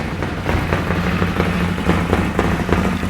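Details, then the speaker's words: Rebuilt Bennche Spire 800 twin-cylinder engine at first startup, idling at 1500 rpm on both cylinders with no coolant leaks or air bubbles: steady, even low thump with no knocks or misses; normal fast idle. "What are we idling at? We're idling at 1500 right now."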